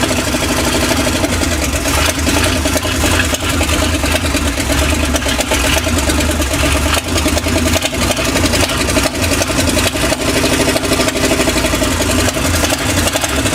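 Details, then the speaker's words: GM V8 after new lights and wiring, with a carburetor the owner is unsure he rebuilt: an uneven idle with irregular pops and stumbles, misfiring. He suspected mixed plug wires or water in the fuel, but the firing order checked correct. "Joker still here a misfire going on there and they have to put it in a carburetor I'm not sure I rebuilt this one but"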